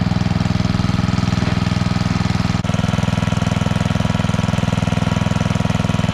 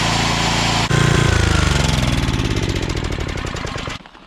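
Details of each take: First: Coleman Powermate 5000-watt generator with a new spark plug, still putting out only about 80 volts: even, steady low thrum with no rise in pace; engine running below governed speed, fixed by adjusting the throttle. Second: Coleman Powermate 5000-watt generator after cleaning, fresh fuel, new spark plug, oil change and throttle adjustment: single-cylinder thump at an even pace, no surging, then it cuts off; voltage now 120, running properly at full power.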